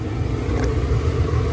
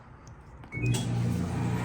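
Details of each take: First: LG gas dryer after gas solenoid valve repair and quarter-turn adjustment, running six minutes and heating: steady even drum rumble with no squeal, scrape or knock; normal running. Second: LG gas dryer after gas solenoid valve replacement for no heat: loud steady low drone and rough rumble instead of quiet tumble; drive belt installed wrong, later fixed by reinstalling it.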